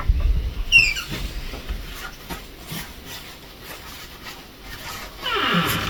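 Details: A door hinge after silicone lubricant was sprayed from both sides: a short high squeal as the door swings, then a raspy scrape near the end of travel; more working in or more lubricant is needed.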